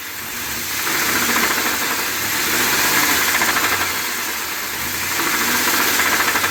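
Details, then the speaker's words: Ford F250 7.3L Godzilla gasoline V8 after the dealer supposedly fitted an oil pump, leaving oil pan bolts out, and said keep driving. Rapid, uneven knock about three or four per second; truck towed back and given a new engine. "so still making noise it actually got towed back to the dealer they did end up putting an engine in it"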